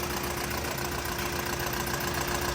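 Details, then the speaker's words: Nissan Frontier YD25 diesel at idle, hood open, previously converted to an ordinary mechanical injection pump with injectors not serviced: loud steady clatter with a faintly uneven beat, engine shaking; rough idle, problem not resolved by the pump swap. "รถเครื่องยนต์เดินไม่นิ่งนะให้เราจะเปรียบเทียบกันอย่างนี้ให้เห็นนะขอสังเกตนะครับเครื่องยนต์สั่นคันนี้นะฮะ"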